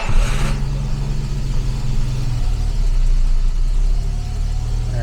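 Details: 1967 Jaguar Mark 2 just started after its fuel system was flushed, with the battery low, so the coolant can start circulating and charging can be checked: it settles into a steady, even low rumble with no knocks or misses; normal idle.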